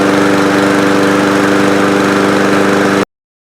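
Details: Powermore 139cc engine on a lawnmower, hard starting, popping and low on power, after valve lash adjustment (set cold) and spark plug reinstalled: fast, steady single-cylinder chatter, no misses or surging, runs smoothly.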